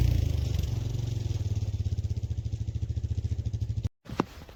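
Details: Honda Foreman ATV single-cylinder engine idling steadily after an oil change, run to check the cooling fan cycles (fan suspected not coming on, running warm while snow plowing); even low thumping, no knocks or misses, normal idle.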